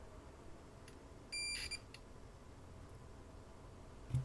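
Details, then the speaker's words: Apple HomePod logic board, multimeter continuity test on a removed capacitor: steady half-second beep in a quiet room, continuity straight through; board no longer shorted with it removed, so capacitor is the shorted part. "so is this cap the source of the short I sure hope so well we don't have a short on the board anymore"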